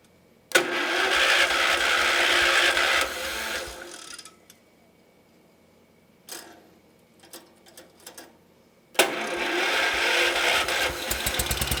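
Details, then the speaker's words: Homemade motorcycle, small carbureted engine: catches, runs unevenly a couple of seconds and dies, then restarts ragged; suspected fuel problem, carb bowl found with some grit and a small jet suspected, not confirmed. "That sounds to me like a fuel problem."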